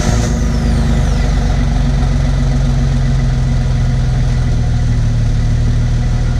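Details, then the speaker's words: 2005 Jeep Wrangler Unlimited with newly installed Magnaflow Off-Road Pro Series cat-back exhaust: deep, even rumble at steady idle, no rattles, buzzing or leaks; normal idle after install. "everything sounds good no rattles no leaks"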